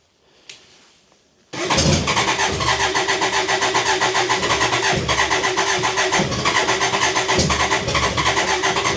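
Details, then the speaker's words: BMW K100 motorcycle during fuel pump replacement, choke applied: rapid starter churn about four beats a second, engine almost firing but never catching; fuel starvation only suspected, ground wire had come off. "it really wants to go now I can hear it let's do the choke a little"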